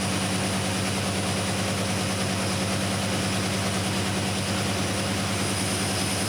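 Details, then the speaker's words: 1972 Chevy C10 carbureted engine, first start after installing Carb Cheater spacer and O2 sensor, running rich (AFR 10): rough idle with steady airy hiss; owner suspects a serious vacuum leak. "Know what that was, but it sounded like it had a pretty serious vacuum leak."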